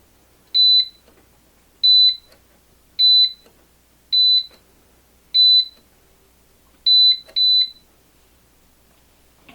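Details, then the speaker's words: Onnais HX-008 Gen 2 biometric pistol safe enrolling a thumbprint: six crisp high beeps about every 1.25 seconds, then a quick second beep after the sixth, signaling fingerprint enrollment complete. "fingerprint area says placed six times you'll hear two long beeps at the sixth time"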